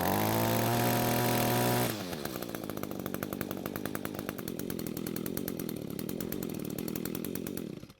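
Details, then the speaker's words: Two-stroke string trimmer that had spark, some compression and fuel but wouldn't start, now running after suspected bad coil replaced and fuel flow confirmed, carb untouched: catches after a short pull, settles into steady even buzz without stumbling; runs normally. "So it seems the trimmer is now starting and running just like it should be, and we didn't even have to look at the carb this time."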